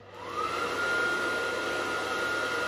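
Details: Gas boiler combustion fan restarted after air pressure switch tubes refitted, pressure back up on manometer: spins up within half a second to a steady, clean whirr with no rattle or wobble; running normally.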